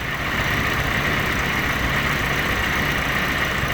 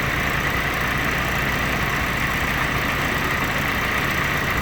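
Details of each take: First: Willys jeep L134 engine at idle after the distributor is turned back, retarding the timing slightly from over-advanced. The popping has disappeared and it runs with a steady, even, unbroken note. Normal idle. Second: Willys jeep L134 engine at idle with the distributor rotated clockwise, ignition timing set very advanced. It runs faster but uneven, with frequent irregular pops and spits in a loud, busy note. Over-advanced ignition timing.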